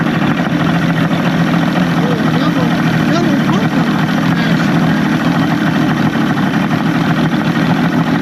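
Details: Evinrude 150hp outboard after VRO delete and double fuel pump install, with a substitute O-ring: strong, even drone with a steady low rumble and no misses or knocks; runs clean and healthy.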